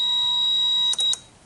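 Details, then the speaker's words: 2008 Nissan Sylphy G11 MR20 with P0135/P0141 O2 heater faults: a fuse saver's steady high-pitched electronic buzz cuts off twice in quick succession, tripping as the sensor 1 heater harness is shaken; a shorted O2 heater circuit. "all right so you hitting the buzzer going off right and when I reset it it popped it in"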